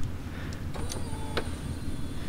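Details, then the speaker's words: 2005 Mitsubishi Pajero bought at a Japan auction, front door power window: light motor whir with short clicks as the glass travels, no grinding or labouring. These often break on Mitsubishis, but this one works normally. "these often break on Mitsubishi cars I find but this one is good"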